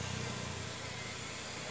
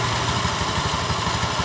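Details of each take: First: Honda Beat eSP scooter CVT after replacing worn-out clutch shoes that had caused clunking at takeoff: even, steady engine note pulling away with no clunk or rattle; clutch engages cleanly. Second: Honda Beat eSP scooter CVT, cover open: uneven rattly knocking at low revs when pulling away, which disappears once moving, chattering from the clutch bell; the clutch shoes (kampas ganda) are worn out.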